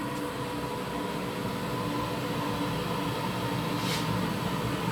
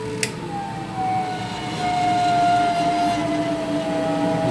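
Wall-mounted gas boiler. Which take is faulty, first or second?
second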